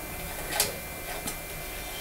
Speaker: it just drops down and that's the spring closing the valve off. So that valve is now closed.